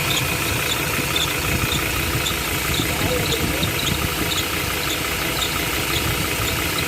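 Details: Ford Ranger Wildtrak diesel idling: chirping squeak and dry bearing-like grinding rasp from the front belt drive; serpentine belt problem, belt to be changed.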